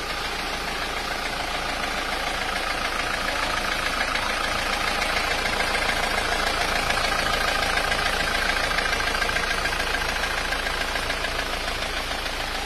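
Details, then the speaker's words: Isuzu Panther diesel, rough after a recent engine rebuild though smooth before it: a sharp tak-tak tapping at idle, about 3.5 knocks a second, over the diesel clatter. Suspected to come from the pistons (piston pin knock). "Yuk kita amati bersama-sama mobilnya baru datang itu suaranya seperti ini yang ditakutkan customer itu apabila turun mesin tapi setelah turun mesin suaranya malah menjadi kasar seperti ini"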